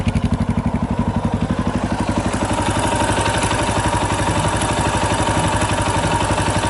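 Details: 2018 Yamaha Tricker XG250 single at idle, steady thump with a light, fast metallic clatter on each beat; slack cam chain from a loose cam chain tensioner, tensioner being adjusted (stock tensioner is automatic).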